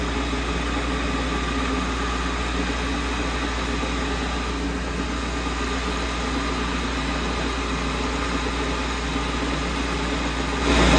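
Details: Manual transmission with newly fitted J-type overdrive (replacing A-type) on a motor-driven test rig, in neutral: steady even hum and low drone, no knocks or whine; running smoothly while building oil pressure.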